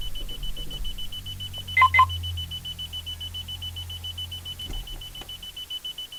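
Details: Car won't start; steady high electronic tone with rapid pulsing warning beep about five per second while it fails to start; cause unclear.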